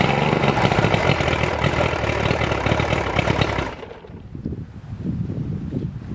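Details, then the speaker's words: Mercury outboard running after replacing the starter and the battery (faulty starter found; owner suspects a bad battery): steady busy buzz dropping to a quieter, low, even burble with no misses; it runs normally. "Success. It runs, it runs."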